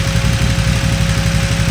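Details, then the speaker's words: 2008 KTM 990 Adventure S V-twin, 6,500 miles, after TuneECU adaptation reset, no throttle: steady, even idle with radiator fan whirring, no stumbling or hunting; normal idle despite its stall-on-throttle-close problem. "Now, no throttle. Idle's just fine."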